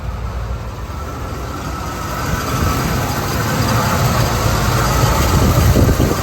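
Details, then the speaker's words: 1978 Buick Electra V8 just after a full carburetor overhaul that cleared heavy carbon, choke plate slightly cocked open: deep, uneven, strained and lumpy idle rising a little in level; owner suspects ignition isn't 100%, cause unconfirmed. "Funny thing is, it sounds like it's laboring. Like the ignition just isn't 100%. That sounds very, very strange."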